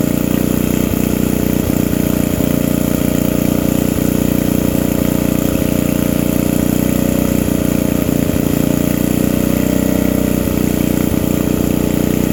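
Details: Old generator, just started with the air filter off, before its electrical output is tested: single-cylinder engine at a steady, even beat of about three firings a second, holding speed; normal running.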